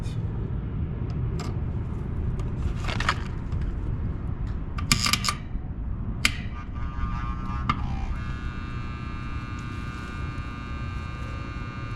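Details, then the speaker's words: Air conditioner with a blank thermostat and a blown fuse, wire reconnected to the contactor with about 27-28 V control voltage: after handling clatter, a steady electrical buzz holds as the coil energizes; normal contactor coil hum. "Just put the wire back on the contactor. You can hear it humming."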